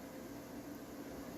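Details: Sound system in a quiet room: only a faint, steady hiss or frying with no rhythm or tone; noise floor raised by too much mixer gain, reduced using a noise gate and its close speed.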